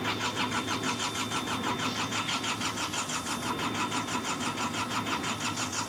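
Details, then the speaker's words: Hitachi EX55UR excavator diesel, sat a year with broken boom; steady laboured cranking at about three compression beats a second, never catching; crew feels it wants to start, will try again tomorrow. "it don't sound any different she wants to mhm I can feel she wants to just got to give her some more florl tomorrow"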